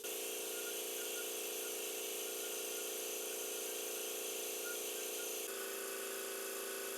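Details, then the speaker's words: Kobalt 3332643 air compressor running up to max pressure after a stripped tool-side pressure regulator shaft was repaired; steady, even motor whirr, pitch dropping slightly as the tank fills; normal running. "all right we're at max pressure there you go basically the same it feels good too"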